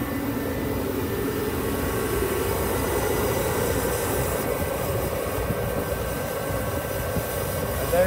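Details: Dyna-Glow 18,000 BTU salamander heater after replacing the cracked, leaking fuel line, started stone cold unprimed: even steady roar of burner and fan, no sputter, surging or smoke; lit cleanly, running normally.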